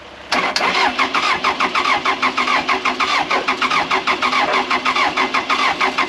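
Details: Case 450B dozer diesel, abandoned 15 years, at its first start after a Roosa Master DB2 injection pump rebuild. Catches and settles into a steady, even knocking idle with no stumbles; normal idle.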